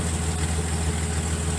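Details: Datsun 280ZX idling with a newly installed 2 1/4-inch muffler: a smooth, steady low idle with an even rumble and no knocks, rattles or leaks. Sounds healthy.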